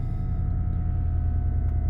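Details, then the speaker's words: 1998 Lincoln Continental 4.6 L DOHC V8 just after cold start at 29°F in snow and ice: steady even low idle rumble, no knocks, misses or surges; idling smoothly and healthy. "You can't beat the old Lincolns. They just don't quit."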